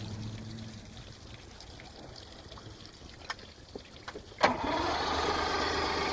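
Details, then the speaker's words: Mercury inline outboard, first start of the season after impeller/water pump replacement and a brand-new fuel line with no leaks: a few light clicks, then it catches with a sharp burst and settles into a steady, even idle, a healthy start. "alright so we got the fuel line fixed replaced brand new no leaks first start of the season"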